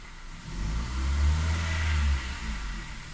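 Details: 2010 Kia Ceed 1.4 MPI petrol engine revving with lumpy, uneven low chug; ignition misfire, fixed by replacing ignition coil and spark plug.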